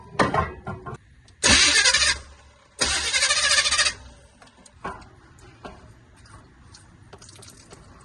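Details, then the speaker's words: Cheap Chevrolet squarebody truck, carbureted, on a jump pack: two short bursts of starter cranking, about a second each, never catch and fire; cranking fine but no gas has been put in it. "Nothing, it just ain't had no gas put in it. Ain't got no gas."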